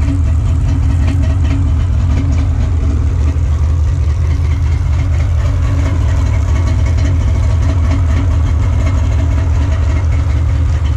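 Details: Freshly installed Sea-Doo 787 two-stroke engine, after crank-over and spark plug tests, idling with a steady, even low drone and no misses, knocks or surging; smooth, healthy idle.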